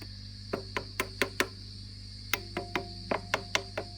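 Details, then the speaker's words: Fender Princeton Reverb (brought in for squealing and feedback), tap test with volume nearly full after replacing preamp tubes V1 and V3: sharp dry taps die instantly over a steady low hum, with no ringing or howl. No microphonics. "there and finally nothing there nothing there let's turn the volume up that's nearly all the way up actually no microphonics no microphonics no microphonics no microphonics no microphonics"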